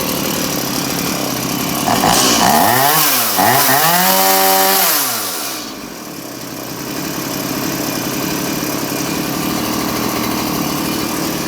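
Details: Stihl MS180C chainsaw on 50:1 mix, running on a replacement carburetor after idle screw adjustment: blips up and back down twice, then settles into a steady, even idle with no hunting or stalling; idle properly set.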